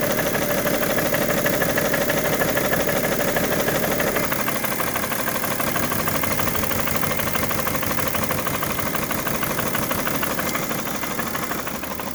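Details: 2011 BMW 335d diesel, bought with a bad knock and heavy smoke: hard steady knock about three per second over the diesel idle clatter; source of the knock not determined.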